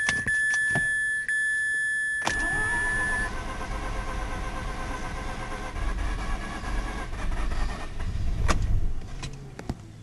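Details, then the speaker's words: 2004 Mazda RX-8 rotary, automatic, flooded, booster on battery, pedal floored during de-flood cranking: steady starter cranking with faint uneven chuff that never catches; plan to pull plugs and add oil for sealing; flooded engine not starting. "So foot to the floor. You'll hear it probably hit once or twice. But yeah, I'm gonna have to put it up, pull the plugs, and squirt a little oil in there to help the sealing go."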